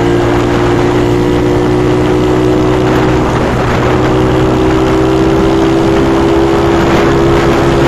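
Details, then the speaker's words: Reconditioned carbureted Yamaha Mio Soul 160 big-valve big-bore scooter engine after refresh: smooth steady drone, constant mid tone, no clatter or knocking; engine was formerly noisy and rattly, now quieter, running healthily. "Dati maingay yung makina. Ngayon, tahimik na."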